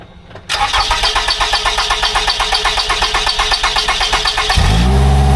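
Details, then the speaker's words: 2011 Toyota Camry stalling with codes P0335/P0339 (crank sensor already replaced), started after a wiring repair: starter cranks evenly at about four beats a second for roughly four seconds before the engine catches. Extended crank. "It's a long crank, so I'm gonna have to check that out."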